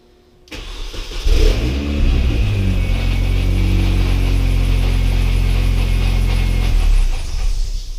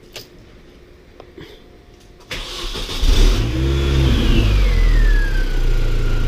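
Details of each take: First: R53 Mini Cooper S after the supercharger failed and overheated the engine: cranks, catches and settles into a rough idle with loose, uneven rattle of supercharger gear teeth chewing themselves, likely at the water pump end. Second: R53 Mini Cooper S after supercharger replacement (old one failed, chewed gears and water pump end seals suspected): clean start and smooth revs, horrific rattle gone, light supercharger whine rising and falling with revs; water pump still needs replacing.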